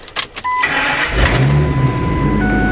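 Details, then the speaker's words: 2003 Ford F250 V10, towed in as a no-start; voltage drop traced to a bad ground and fixed (now 213 mV): a few clicks, then it catches within a second into a steady, loud run with exhaust roar; normal start after repair. "Again, it's loud, but it starts. That ground was the only problem."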